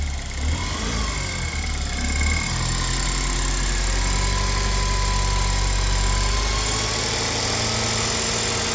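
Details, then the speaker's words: Saturn Sky Redline first start after engine rebuild with new parts: catches and settles into a steady, even idle with a smooth low drone, no knocks or misses, getting better as it runs; healthy. "it's running well it's running it's running it's getting better and better"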